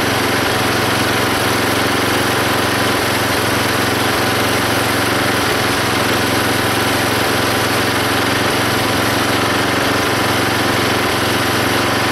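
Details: Belt-driven log splitter small engine after fitting a homemade spring-tensioned idler arm and pulley to stop the belt flying off: steady drone through the split, no belt squeal or slap; hardly any belt or pulley slipping.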